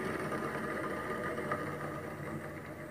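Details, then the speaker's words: Window air conditioner that was noisy after storage: the fan shaft, coasted by hand, gives a dry, gritty whir with a thin steady whine from a worn fan motor bearing; owner suspects water got in, and the bearings will be replaced. "too noisy that that bearing is noisy"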